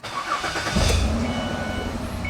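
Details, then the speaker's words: Ford Escape after torque converter replacement, started after a heat cycle with the check engine light on for a cylinder 2 coil circuit malfunction: a quick crank, then a clean catch and steady idle in park; a normal start. "So starts just fine, goes into gear, or it's in park right now."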